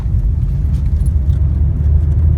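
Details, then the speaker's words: Warm 2013 Toyota Corolla at operating temperature on a test drive: loud, steady low roar from the tires. The owner reported it as a noise while braking, but it was traced to cupped, dry-rotted tires. "that's Drive very loud roaring noise sounds like it's coming from the tires"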